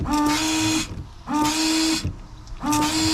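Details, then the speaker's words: Range Rover Sport L320 windscreen washer after a nozzle was cleared with compressed air: three short bursts of a buzzing pump whine with a hissy spray; the pump sprays normally and one nozzle now works. "Oh, one's working. Success. We got one nozzle working."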